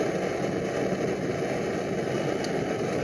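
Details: Primus Omnifuel stove, older early model, in a shop around 60°F: soft, even burner roar with no sputtering, surging or popping; flame holding steady while dialed down low.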